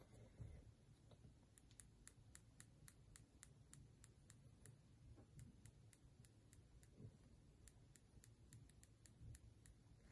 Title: iPhone 13 Pro брак, щелчки корпуса заднего стекла / defect corpus clicking/popping sound back glass